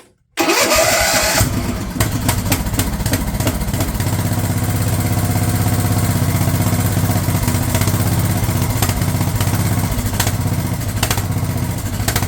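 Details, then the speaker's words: Craftsman LT1000 riding mower/tractor, cranked with a previously rejected replacement starter, snaps into life then runs with an uneven, stumbling beat; the carb's fuel solenoid wire was found cut off, so the solenoid wasn't working. "Well, that's not exactly what I was expecting. It's been cut off. That explains why it was running so funky."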